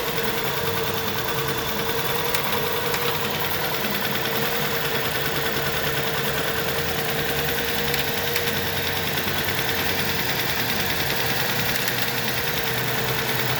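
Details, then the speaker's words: VW Tiguan 1.4 TSI, cold start during the first minute of catalyst fast warm-up: uneven, shaky idle with stumbles from misfires, here cylinders 1 and 2. It runs normally once warm-up ends; fix is disabling fast catalyst heating in software. "При холодному пуску в момент прогріву каталізатора, це десь перша хвилина роботи, у нас діагностуються пропуски запалювання. Причому вони можуть діагностуватися в абсолютно різних циліндрах."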